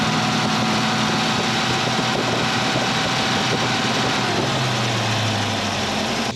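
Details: 351 Cleveland V8 in a 1979 Mercury Capri, idling after the stuck distributor was freed and timing reset (about 10° initial, 32 all in) for hot hard-starting: steady, lumpy idle with even beat, no stumble or pinging; normal idle.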